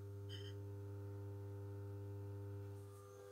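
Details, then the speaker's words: Eclatec BS 100 street light, BF 250 lamp, original magnetic ballast over about 40 years old, after cleaning, at power-on: clean, low, steady mains hum with no buzzing or rattle; ballast works really well. "Donc un luminaire en BF 250, donc franchement le ballast il fonctionne vraiment bien. On dirait pas qu'il a plus d'une quarantaine d'années."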